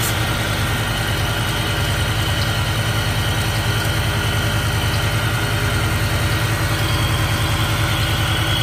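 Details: Idle while brake cleaner is sprayed around the intake to check for a vacuum leak. A smooth, even pulse with no rise in revs or hunting. No air leak is found and the idle is normal.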